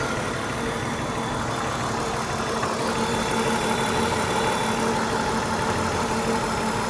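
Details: BMW 328i idling rough with an irregular low stumble every few beats; the owner suspects a misfire, with the engine running on five cylinders, but this is not confirmed.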